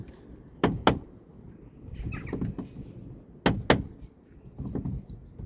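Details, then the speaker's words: Car door after fitting a brand-new cheap check strap, greased: each door swing gives a sharp double clunk, twice over a few seconds; new check strap defective and rattling, hinges fine. "It's not supposed to do this. It's supposed to be quiet. But it's rattling. It is rattling."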